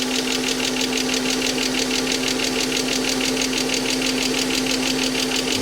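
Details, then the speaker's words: Mercedes AMG coupe on first start since 2009 after long storage: a quick, even lifter tick rides the idle in time with the engine. Oil starvation from sitting; the tick went away once oil circulated. "All right, guys. The tick is gone. Uh, it's just as I figured. Just had to run oil through everything and all the passageways. This thing's been sitting for so long."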